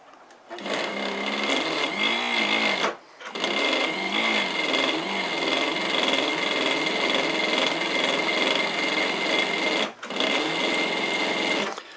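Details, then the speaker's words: Antique New Home sewing machine first getting running again, before the speed adjustment: steady needle and mechanism clatter with brief stops; turning sluggishly. "it's starting to run now I've probably all it one more time here and check for adjustments at least it is turning and moving now"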